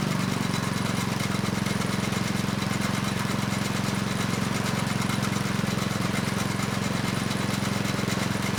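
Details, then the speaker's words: Neglected Craftsman snow blower 247.889571, after carb work, running steady with choke off: faint rough scraping over even engine beat, apparently from belt area. "okay well that was a pretty good test uh the engine it's running nice and steady with the choke off but we have a new noise you I think it's coming from the belt area it's kind of like a scraping"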